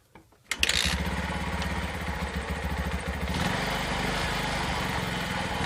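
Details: Yamaha Vixion motorcycle after replacing a worn cylinder block (old block loose in the middle, caused noise and oil burning): a crank, then a quick catch into an even, steady single-cylinder putter with no knocking or rattle; runs cleanly.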